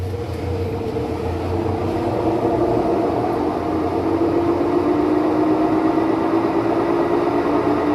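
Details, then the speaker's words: Maytag washer spinning a small load with one towel deliberately placed to one side to check the snubber ring: low hum climbs slowly in pitch as the drum reaches very high RPM, no banging or thumping; spin normal. "So these have very, very high RPMs. So your clothes almost come out dry. They're so fast."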